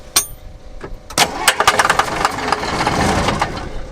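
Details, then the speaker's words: Abandoned John Deere 6600 combine cranking with injector lines cracked: uneven clatter and bursts, never catches; not even a dribble of fuel at injectors, injection pump cutoff valve suspected stuck closed. "Got nothing. Nothing at all. Damn. Not even a dribble. Damn. Nothing. Coming out? Nope. I'm starting to question our cutoff valve."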